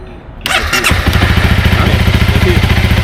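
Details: Touring motorcycle in Turpan that died from a blown fuse, started after the fuse was replaced (a map jumper possibly touching the body): starter catches after a brief crank and the engine settles into an even, steady idle; clean start.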